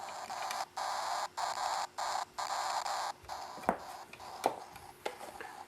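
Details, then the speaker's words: Foscam FI9821W camera speaker blurts choppy bursts of crackling static over a faint hum from Wi-Fi interference; the noise stops when touching the antenna or using Ethernet instead of Wi-Fi. "so I get that crackling noise and it's pretty annoying noise if I touch the antenna no noise let go I get the noise or if I don't use the Wi-Fi but just plug in Ethernet I do not get the noise either"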